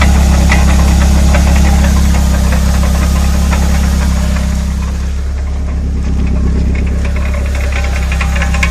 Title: Rear hub rattle noise